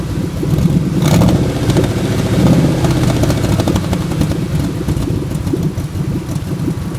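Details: 1997 Ford F150 4.6L Romeo V8 that has always sputtered at stop signs and once would not start, cutting out near 300 rpm: uneven, lumpy idle with occasional stumbles; owner hopes it is not the catalytic converters, cause unknown.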